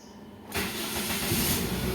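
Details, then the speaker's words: Toyota Vios Gen 1 after replacing oxygen sensor #1 and clearing DTCs to cure a persistent check engine light: quick restart catches within half a second and settles into a steady, even idle. "Oke, udah normal ya. Kita matiin lagi. Kita starter lagi."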